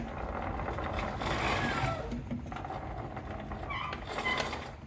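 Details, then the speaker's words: Riding mower plastic RS800 transaxle, regreased after failed seals, in neutral the next day after mowing: steady low hum with a few light squeaks from the mower being soaking wet; runs smooth, repair successful. "That sounds quite a bit better. That's about how it used to sound besides those squeaks which are from the fact that the mower is soaking wet right now."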